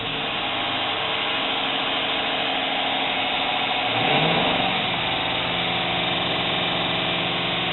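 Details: Jeep Cherokee at idle, misfire on cylinder 5, runs with a stumbling, uneven beat that roughens as revs rise; injectors cleaned and coils checked beforehand, vehicle shakes.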